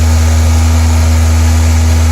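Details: 1993-97 Toyota Corolla/Geo Prizm wagon after radiator replacement, idling while bleeding coolant with heater on: steady, even low hum, no knocks, ticks or hunting; fans on, heat working, not overheating.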